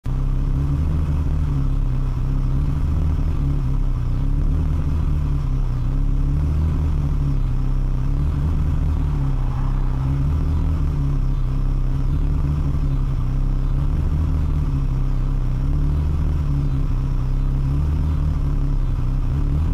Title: Ferrari 360 rough idle